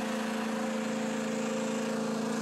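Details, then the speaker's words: John Deere Z335 zero-turn mower with only 14 hours, blades engaged: steady high drone from the deck with a fast, even flutter instead of just blade swish; worn deck spindle bearing or idler. "It's definitely making some noise. There's either an idler or something."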